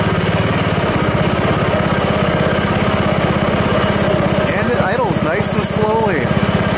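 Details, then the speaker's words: Self-propelled lawn mower after spring tune-up (oil, spark plug, Seafoam), cold at about 40°F, choke held longer: single cylinder thumps evenly at a slow cold idle, no misfires, later gets up to speed; normal idle. "but I'm sure on a mild summer day it should probably be running nice and quick but sounds good idles good and got up to speed"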